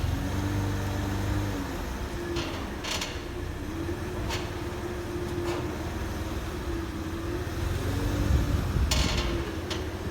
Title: W163 ML320 squeaking / clicking noise